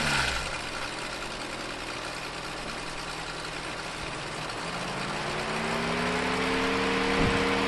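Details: VW Transporter T6 camper, first run after repairing damaged cables and reassembling the engine bay: loud harsh diesel clatter with a steady rapid knock rising with revs, fan roaring. Owner suspects a bad knock from the gearbox area; unconfirmed.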